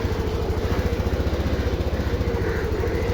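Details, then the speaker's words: TVS Jupiter BS6 scooter that previously was hard to start and stalled, now after repair: even putter at steady idle, no stumbling or dying; idling properly, needs road test to confirm. "എന്തായാലും വണ്ടി ഇപ്പൊ start ആയി correct ആയി നിൽക്കുന്നുണ്ട് correct ആയെന്ന് തോന്നുന്നു"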